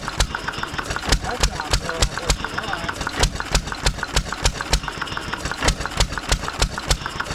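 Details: 1920s Taylor Model B hit-and-miss vacuum engine, long unused, restarted after fuel work, choked to burn old gas; sharp firing bangs about three a second, uneven coasting gaps, loud exhaust, running steadily, steaming in the heat.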